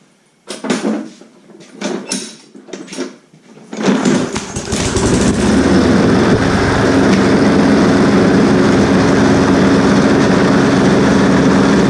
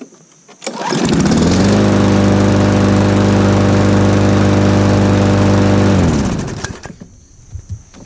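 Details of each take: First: Lawn mower, primed and started after its carburetor diaphragm was fixed, catches and runs hard and steady but rough, with a violent shaking drone throughout; diagnosed as a bent crankshaft. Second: Small lawn mower engine after its bent crankshaft was straightened and its carb fixed: starts and runs at a smooth steady speed with no heavy shaking or knock, then shuts down; sounds healthy, normal running.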